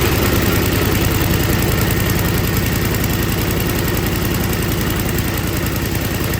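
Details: Older MTD Yard Machines snow blower with Tecumseh 5 hp engine that would not start, after carburetor was put back together and gasket found falling apart; steady putter with a strong low exhaust beat, even idle without surging or hunting, normal idle.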